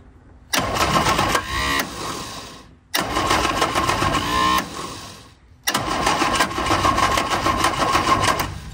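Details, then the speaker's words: Innocenti Spyder, sat for years, after an ignition refresh, cranked on a jump box. Three bursts of cranking with a couple of brief catches that never run on. Spark is present but there is no fuel supply, as the new fuel pump isn't installed yet. "now actually sounded like it wanted to start a couple times now that we have refreshed the ignition system I do have that new fuel pump that would go right here but I don't think it makes any sense in making the fuel pump work right now"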